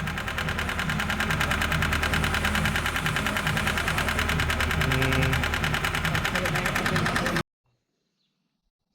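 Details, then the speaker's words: Mazda MX-5 race engine that developed a knock at Silverstone: heavy, steady knocking at roughly three a second, locked to crank speed; bearings seen on teardown suggest a rod knock, not a lifter tick. "I'm pretty sure that was the noise I don't think it was the worst lifter tick you ever heard from the look of the bearings"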